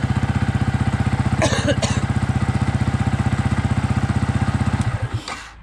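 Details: Yamaha YZF-R 125 single-cylinder with a Powertronic fitted, warm and off choke; even, quick putter holding a steady beat with no misses or rattles, then shuts off cleanly. Normal warm idle.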